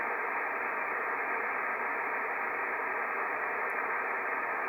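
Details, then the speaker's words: IC-7300 with the antenna disconnected, RF gain at maximum and volume turned up: a constant, even hiss with no signals. The receiver's own internal noise, unaffected by reducing RF gain or switching on the attenuator. "without any antenna this is the noise that you hear Let me put it all the way to the uh to the end that's the noise that you hear and uh the the the weird thing is that uh this noise is not affected by any reduction in the in the RF game"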